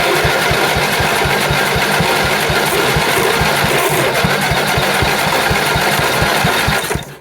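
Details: Briggs & Stratton 8hp flathead for a John Deere 110, bench-mounted after sitting a while: fast even chuffing about three beats a second while cranked, then dies; fires but won't sustain, carburetor suspected of not drawing fuel.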